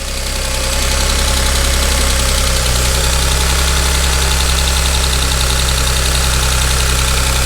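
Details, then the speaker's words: 2013 Audi S4 CGXC 3.0T supercharged engine newly installed in 2011 Audi S4 B8, tensioners replaced and timed, first start with no coolant: idle settling after start-up, steady low hum, no knocking or ticking; runs healthy. "there is no coolant but it's looks like it's pretty healthy and it's happy"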